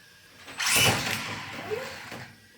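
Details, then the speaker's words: Second-hand Team Associated RC10B5M buggy with Coyote ESC and 17.5T brushless motor: harsh, raspy grind flares up on letting off the throttle as the motor spins down, then fades; cause unknown to owner. "Um we have that weird grinding noise. Okay. Well, I'm clueless."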